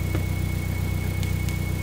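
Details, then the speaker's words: Top Secret-built 4-cylinder turbo in Smoky Nagata's Supra GT-300 with FuelTech FT550 on dyno, firing order corrected: smooth, even, quiet idle with a steady low hum, turbo spinning, no misses or knocks; running cleanly. "Check it out, the engine is quiet It's working Now the engine is silent"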